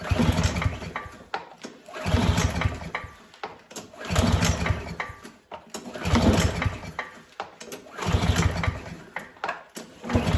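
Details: Barn-stored Yardworks mower on old oil, self-choking wind-vane throttle, first start attempt: recoil pulls about every two seconds, short spinning bursts with no firing or catch; turns over but won't start, cause not confirmed.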